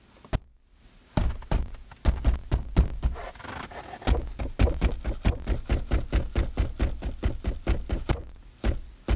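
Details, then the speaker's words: Kia K9 rear (second-row) seat struck repeatedly by hand, giving sharp knocks each followed by a short loose rattle; noise occurs over bumps, rough roads and parking ramps; screws found overtightened or missing during removal. "이런 소리가 나죠 이게 뭐냐면 요철이나 비포장도로 아니면은 지하 주차장 내려갈 때 이럴 때 소리가 많이 날 겁니다"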